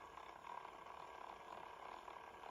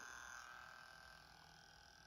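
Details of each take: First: Sanyo M-GP27 1980s personal cassette player on 3 V playing a tape: a faint, wavering motor hum that never builds to a firm whir, then a click. The stretched drive belt slips and barely turns the reels. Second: Sanyo M-GP27 personal cassette player on 3 V after new belts and spindle oiling: soft steady high whir of the drive motor, quieter than before, no rattle; normal motor running.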